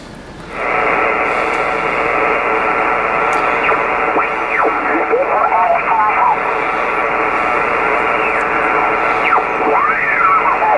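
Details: Kenwood TS-520 HF rig, dirty with moisture damage, revived with few parts: on outside antenna, 20 m, upper sideband, noise blanker off, steady band hiss with warbling slow-scan TV tones; weak signals hard to tune, receiving normally.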